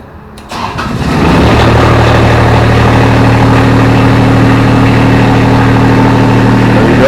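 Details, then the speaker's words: Grasshopper mower with Kubota diesel: short crank, catches at once and settles into a steady, even diesel idle with no misses or knocks; fires right up. "This little Grasshopper, it's a big Grasshopper, has a Kubota diesel in it. And use the heck out of this thing."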